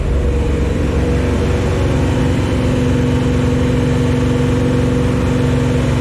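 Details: New Chevy 350 V8 in a 1974 Chevy Nova at first start, holding a steady fast idle of about 2000 rpm for cam break-in, with no misses or knocks. Normal. Oil squirted from the valve covers without a PCV valve or breather; a breather fixed it.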